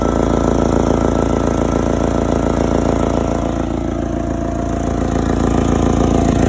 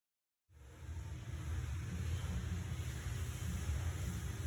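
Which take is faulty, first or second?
first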